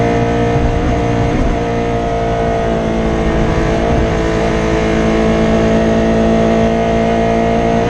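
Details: Rally car in Rally Barbados 2017, Padmore Village to Golden Grove stage: the engine pulls hard but stumbles unevenly, misfiring after an injector wire broke again around the halfway point.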